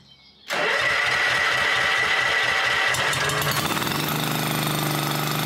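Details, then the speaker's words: Honda 1211 ride-on lawn mower after its transmission fan was repaired and its tires refitted with inner tubes: clean start settling into a steady, even run with no rubbing noise from the broken part; normal running after repair. "Bon, là normalement c'est le démarrage de la victoire. Il n'y aura plus le bruit à la gomme."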